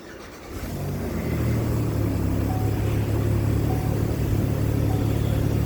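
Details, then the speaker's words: Chevy Impala just after engine/transmission reinstall, first start: engine catches and settles into a loud, raspy idle with a fast puffing tick; owner suspects the exhaust gasket is leaking. "it sounds like I'm gonna have to fix the exhaust sounds like the exhaust is leaking actually I'm going to shut that off"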